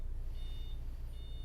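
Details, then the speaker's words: 6x6 Oberaigner/Krug overland truck, brand new with 126.3 km, diesel idling at registration centre in Dubai: two long high-pitched beeps of the front diff-lock warning; it won't switch off and the truck won't move without it, owner suspects transit-damaged transmission. "he won't switch off that beeping you can hear oh it's on now it's on because if I switch it off or try to this vehicle will not move"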